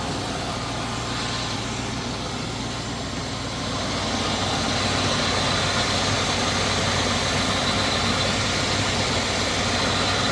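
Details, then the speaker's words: 1980 Chevrolet Scottsdale 350 V8, first start after sitting 26 years, fuel system newly hooked up: smooth, steady low idle rumble with an even beat and no ticking, knocking or pinging; a healthy engine. "But like, listen to that idle there. Like there's no knocking or nothing, eh? That's ridiculous. That sounds super nice."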